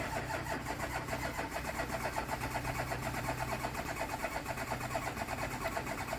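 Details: VW Touareg diesel with fault code P0087 (low fuel pressure) cranks steadily without catching, a crank-no-start; owner suspects an injector.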